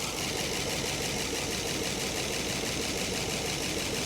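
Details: 1966 Chrysler Crown Imperial big-block, first start after 21 years, Marvel Mystery Oil added: quick, even, light ticking clatter over a rough idle with some blow-by; top-end tick, cause unconfirmed.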